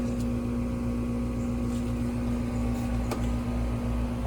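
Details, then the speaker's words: Recently installed Trane AC outdoor unit on R410a, warranty call: runs inside and out but no warm air from condenser top; capacitor ruled out. Steady low compressor hum and fan drone, no rattle; suspected low refrigerant charge from a leak. "And I thought it was going to be a capacitor situation. Doesn't look like that's it. Looks like we've got a charge issue here."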